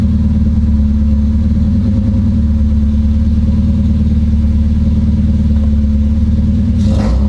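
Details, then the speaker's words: Supercharged KA-swapped Nissan 240SX after a coil-on-plug ignition conversion, launch control on a new circuit: engine pinned at high revs with a choppy beat of about four cuts per second. The launch-control rev limiter is stuck on. "no so currently i have green on launch and i don't want that launch control is always active so that is not currently working"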